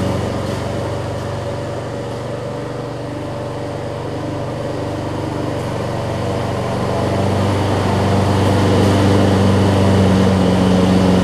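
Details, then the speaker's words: Lawn Boy push mower, small single-cylinder, on test run with fuel pouring from the carburetor: steady low buzzing drone; bad carburetor needle and seat leaking, later fixed with a replacement carburetor. "I don't think the needles sitting on it because it's leaking out here what I'm gonna do oh boy it is just hemorrhaging now"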